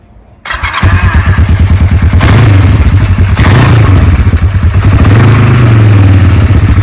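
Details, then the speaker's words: 1990 Kawasaki Vulcan EN500A, 5924 miles, carburetors gone through, new battery, plugs, oil and filter; clutch pulled, starter catches quickly into a steady, even low idle, no knocks or misses; runs nice, known cold-blooded. "seems to run nice."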